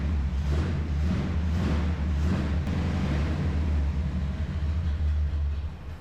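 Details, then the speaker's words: 1974 Chevrolet C10 shortbed, revived after a dead battery and a blown coil: a low, uneven rumble sags and dies. No fuel reaches the glass fuel filter, only occasional spurts; stalling from fuel starvation, and they plan to push compressed air into the tank. "we're not getting any fuel I can tell for two reasons cuz the engine died and our super flammable glass fuel filter it's not getting fuel in it"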